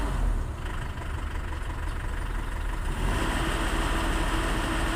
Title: Failing High Pressure Fuel Pump & Hard Start |